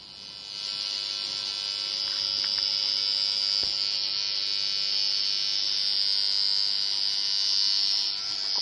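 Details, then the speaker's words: Behringer Eurorack UB1002 mixer feeding valve amps gives a steady mains hum with a bright hissy edge; the hum comes from the mixer, not the valves, and disappears when the mixer is off; recapping is the intended fix. "yep safe that's the noise floor on the Beringer you know you would have thought that was the valves making that sign if you turn it off it's gone that horrible hum sound is there"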